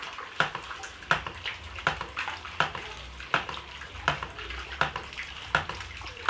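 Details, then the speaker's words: Hydram water pump, needing priming at start: sharp, even clacks about 81 a minute over running water; waste valve cycling steadily and output now flowing; working normally, input water must sit higher than the pump. "nah ini dia sudah ngalir"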